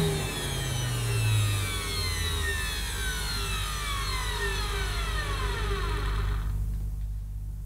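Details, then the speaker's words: Early-1990s Hitachi CV-790 Powerhouse bagless vacuum at its first switch-on: steady high motor whine falling smoothly through a long wind-down, with no grinding or rattling. The motor sounds healthy. "Well, as far as I know, that sounds okay. I've never heard one of these before in person, so I'm not sure, but it sounded all right. It didn't sound like it was going to blow up or anything."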